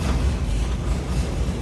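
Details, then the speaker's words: 1952 Ford F100 pickup, cold start in neutral with choke pulled and pedal pumped, then choke pushed in. Low, even rumble with a steady beat and no knocks or misses: normal idle. "and she just purrs."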